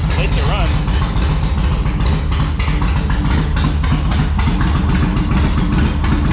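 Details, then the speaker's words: 2004 Yamaha Road Star Midnight Edition, cold, on choke after fuel pump and fuel system work: uneven, lumpy firing that stumbles and nearly stalls; junk buildup found inside the carburetor, cleared by covering intake while throttling on full choke. "Oh, so close. All right. There was a little bit of junk buildup inside the carburetor"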